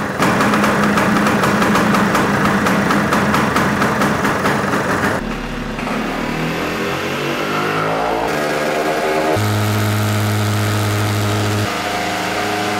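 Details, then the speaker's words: Vespa PX two-stroke engine being tuned with carburetor throttle slide at one-third to two-thirds open. It revs up, then falls back to a lumpy, burbling run, barely passing 7,000 rpm. The mixture is very rich. "We could hear that the engine didn't want to rev at all. We hardly crossed the 7 000 revolutions engine speed. So this is very rich."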